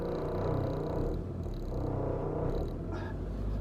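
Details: Yamaha Viking snowmobile warming up at idle after a stalled first start: low, lumpy idle with a loose, uneven rattle; something loose at the back, source not found; rattle at idle.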